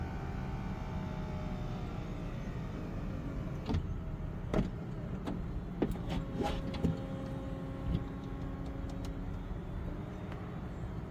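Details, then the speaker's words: Car convertible top being lowered after lubrication: motor hum broken by scattered creaks and sharp clicks midway through travel; something still creaks, apparently from the trunk area. "something back here is making a noise not 100% sure definitely sounds like it's something from the trunky area"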